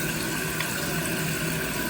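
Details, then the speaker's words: Toilet refilling after the water restrictor washer under the fill valve was removed. Smooth rushing water with no buzzing or vibrating hum; the fill valve is now quiet. "Just again going to push down. Well, it's not vibrating anymore. Well, that's interesting."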